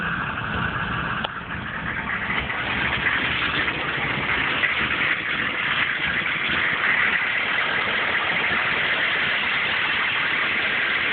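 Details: 1995 GMC K3500 6.5 turbo diesel, 78,000 miles: diesel clatter at idle with uneven, loping beat; rough idle, misses under full load and stalls off throttle, hard starting; owner suspects PMD or injection pump.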